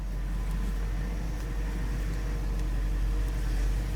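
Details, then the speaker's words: 2007 Range Rover Supercharged (L322) at idle after high-pressure power steering hose replacement and bleeding: smooth engine hum with no pump whine or groan; power steering quiet. "All right, so I've started it. It's quiet."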